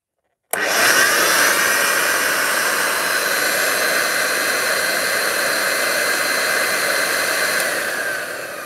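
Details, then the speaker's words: Vacuum cleaner over 50 years old, found in a loft, switched on with no bag and the belt possibly needing replacement: steady high whir spinning straight up, even, no grinding or rattle. Motor runs normally. "no for a vacuum cleaner that's uh over 50 years old it doesn't sound bad"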